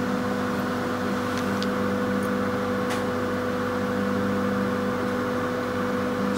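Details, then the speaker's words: Stainless-steel executive coach on Mutiara Selatan train, Surabaya–Malang, AC unit mounted mid-carriage: steady, even, loud mid-pitched drone that never wavers; normal AC hum. "Terdapat suara berdengung karena mesin AC terletak di tengah gerbong. jadi agak berisik."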